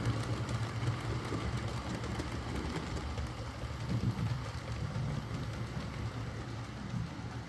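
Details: Used Hornby R2959 Thompson L1 2-6-4T on the layout after the fix: steady, even motor hum and smooth low rumble, with no catching or grinding. Greasing the worm gear cured the forward grinding caused by too much gearbox play.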